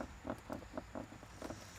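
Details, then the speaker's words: 2009 BMW Z4 E89 interior: faint, quick squeaks about four a second as the armrest/glovebox lid is pressed, coming from the latch spring; hinges also noisy. "apparently this is the section with the spring that the latch which is closing the armrest and when you press it on it producing it a little bit of the"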